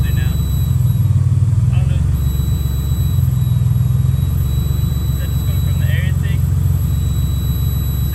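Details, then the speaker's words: 2003 Mitsubishi Eclipse GT V6 after swapping in a 6G74 Diamante intake plenum, started on a borrowed battery: steady, even low rumble with no misses, knocks or hunting; runs and idles smoothly. "all right guys so it's all uh bolted together here everything's good it's running smooth idling smooth"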